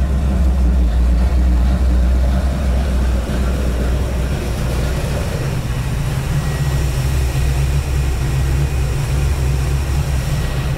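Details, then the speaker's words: 1954 International Metro first start after build, 50 series Flowmaster mufflers, cutouts open: deep, steady open-exhaust idle rumble, even beat, no puffing or ticking from joints; exhaust leak-free. "i'm pretty happy i did not expect it to run that quick that easy it sounds good too sounds really good we went with those 50 series flowmaster"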